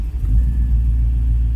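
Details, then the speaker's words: 1963 Cadillac Coupe DeVille with 6-litre fuel-injected engine, started by key: catches at once and settles into a deep, steady low rumble with no misses or knocks; clean, easy normal start. "See how easily it starts."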